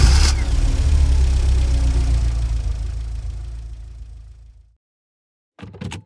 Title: Car Cranks Won't Start